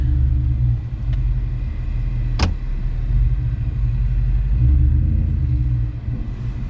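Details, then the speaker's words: Truck shifted in and out of four-wheel drive, forward and reverse: single sharp clunk over low rumble as gear engages; owner suspects transfer case or a broken Mustang posi rear, not confirmed. "well it just it just clunked once [Music] I think the transfer case is messed up"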